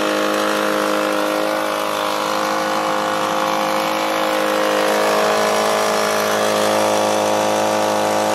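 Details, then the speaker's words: Echo PB265LN leaf blower two-stroke, trash find just freed from seizure, WD-40 and oil burning off: high steady drone with slight waver, sounds flat; owner feels it lacks power, cause not yet confirmed. "i do feel it is lacking some power so i just want to check something real quick"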